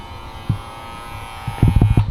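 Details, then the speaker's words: Folding power side mirror won't retract or extend: thin high motor whir runs steadily with a few handling clunks, nothing engages; gears spinning without catching, stripped mirror gears. "you can literally hear the motor. Yeah, the gears are just spinning. They're not hooking onto anything."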